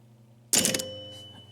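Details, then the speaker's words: Gottlieb 1974 Big Shot pinball machine chime unit after adding rubber pads: single strike with clear tones fading evenly, no clack; fixed. "Nothing but chimes ringing."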